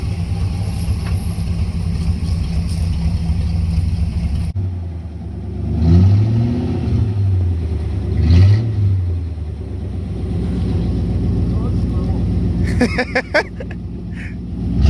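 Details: 1982 Chevy Silverado, first start in years after sitting, automatic four-speed with lock-up torque converter: deep V8 rumble swelling through several throttle blips and settling back evenly; healthy, strong, normal running with revving.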